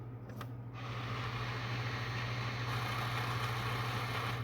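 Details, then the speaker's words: PS4 disc drive with reading and slow-eject problems: click then steady motor whir as it runs an eject cycle instead of loading the disc; owner notes a magnet sitting down inside. "you can hear it like ejecting. That's weird. But now, it won't take it."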